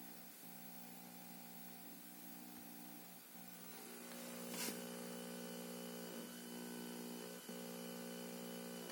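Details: Junsun Android 9.0 head unit in a 2003–2007 Honda Accord 7: steady electronic tones buzz through the speakers with sharp clicks and crackles every few seconds; digital noise, cause unknown.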